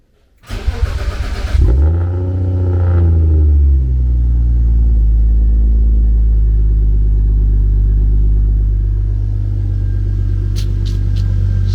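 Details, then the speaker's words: BMW E36 drift car with a newly installed M50TU engine, new big turbo and S52 head, not yet retuned, first start: cranks briefly, fires with a rev, then holds a smooth, steady low idle with no knocks or misses; a normal start and idle. "alive big spoolie boy sounds healthy very very healthy"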